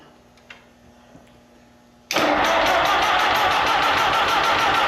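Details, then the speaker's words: Allis Chalmers M tractor with a rebuilt magneto; carburetor, fuel and compression were checked. The starter cranks steadily at about four beats a second but it never fires, with weak spark suspected; conversion to an external coil pack is planned. "so we're trying to crank it back up there and I'm getting some p but I just don't think I'm getting enough spark [Applause] so just not a whole lot of spark there"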